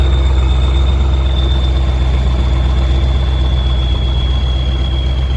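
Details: Kirovets K-700 tractor in a field; constant high turbo whistle over a deep, steady diesel rumble, normal turbo spool on a healthy engine.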